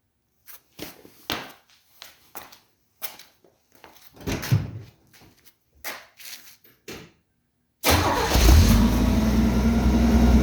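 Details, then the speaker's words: 1967 Chevy G10 van after a home-welded Thrush muffler install: handling clatter, then the engine catches and settles into a steady, fairly quiet low rumble with no leaks; normal exhaust note. "okay well I don't know what uh vintage sound they're talking about but anyway sounds good it's quiet and it's finished so thanks for watching"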